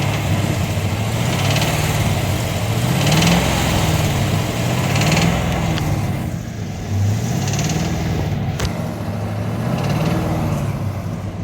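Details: 2009 base Corvette LS3 manual at idle: light, fairly even tick riding over the engine note; the cause can't be pinned down by ear alone.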